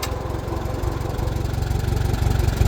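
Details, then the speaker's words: 1949 J.I. Case LA tractor engine running steady with faint gear whine over the low firing beat; gear noise that goes away completely and returns as revs come back up. "You can kind of hear that gear noise now."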